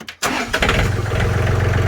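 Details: John Deere 4410 three-cylinder 55 hp diesel tractor, no-start/stall fixed, gelled fuel in tank being bled from petcock: quick crank, catches and settles into a steady, even low idle thump; normal running after start.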